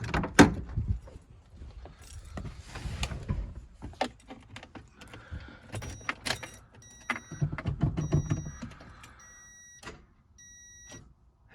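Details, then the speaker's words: 2004 Toyota Echo no-start with booster pack connected, starter and battery already replaced: single sharp click on key turn, no cranking; owner suspects a fusible link fault. "click so what that means is i have a feasible link issue probably"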